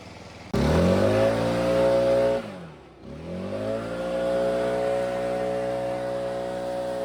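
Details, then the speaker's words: Stihl backpack blower, 2-stroke, previously bogging at full throttle, high-speed carb screw turned out a quarter turn at a time: engine snaps cleanly to high revs, drops and climbs back steadily; snappy high-RPM response, adjustment done. "And we're going to keep pulling the throttle until we get a snappy high RPM response. And then we're set."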